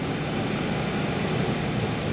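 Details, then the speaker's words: 2002-2010 Ford Explorer after blend door actuator replacement (fix for no heat and clicking): engine started, switched from cold to heat, steady even rush of air from vents, no clicking behind dash; normal blend door actuator operation. "there it goes i just heard it switch over i don't know how if you guys can hear it at all but i can hear it like the sound of the air coming through the vents changed a little bit so we should have heat now"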